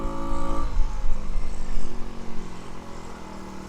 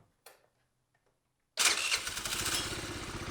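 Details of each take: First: Tao Tao 50cc scooter, bought broken and repaired: revs down off throttle but hangs at a fast busy idle when stopped, wanting to pull forward; idle set too high, owner says it needs tuning. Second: Tao Tao 50cc scooter, non-running for about a year, on a start attempt after repairs: silence, brief crank, then the small engine catches right away into a quick, even buzzing run; normal start.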